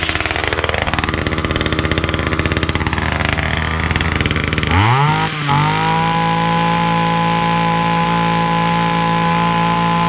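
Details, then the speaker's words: Titan multi-tool hedge cutter, small two-stroke with a new carburettor: revs up and down, then settles to a steady but fast buzzing idle with the blades still moving. Idle speed set too high; back off the idle screw or cable. "Um it wants a little bit of a tune just on me tick over on me idle. Just want screw backing off ever so slightly cuz the blades are still running when you leave it idling and it shouldn't do."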